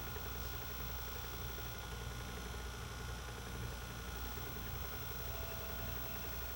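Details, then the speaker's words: JVC HR-S9800 S-VHS VCR during playback: thin steady high squeal over transport hum as the tape, starting to suffer sticky shed, drags against the guides; tracking goes off. "Hear the tape squeaking. This tape is uh starting to suffer sticky shed."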